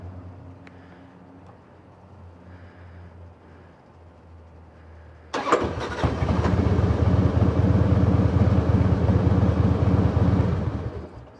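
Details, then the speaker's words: 2005 Harley-Davidson Heritage Classic, carbureted, restarted after cooling off following a test ride: fires with a sharp bang, runs loud and lumpy a few seconds, then dies; poor restart, seems to run only when fully warm. "Yeah, interesting. So, it doesn't like to be anything other than than nice and warmed up."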